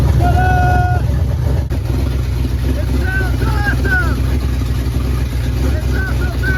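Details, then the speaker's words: 1977 Dodge Ramcharger 440 big block V8, Street Demon carburetor, first run on open headers with no exhaust: loud, rough-edged rumble with fast steady lope; runs healthy, good oil pressure, no leaks. "It ran! Outstanding. And no extra fluids on the ground. Yet. Man, this is awesome. I think it was all worth it. It needs exhaust really bad."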